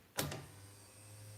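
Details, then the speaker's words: 1998 Argo amphibious vehicle built-in bilge pump switched on: a click, then a steady, even low electric hum; pump running normally. "Is there a pump to remove the water? It does have a bilge pump."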